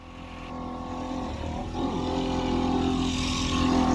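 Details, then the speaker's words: 1973 Mercury 65 hp outboard on premixed fuel, running on two cylinders with one dead cylinder; rough, uneven lumpy note at part throttle with water noise. Motor seized right afterwards. Dead cylinder. "She's working fine though, on 2 cylinders."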